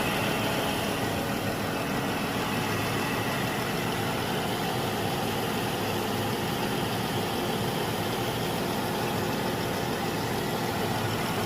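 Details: Jeep Wrangler 3.6 Pentastar at idle, before rocker arm replacement: a fast, light, even valvetrain ticking over a dense engine hum. Rocker arm ticking.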